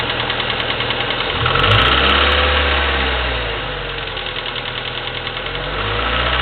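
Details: Chevy S-10 2.2L four-cylinder, 154K miles, ticking for the last 45K, Flowmaster 40 exhaust: idle with light, regular top-end ticking about three clicks a second; suspected valve train, common on S-10s, unconfirmed.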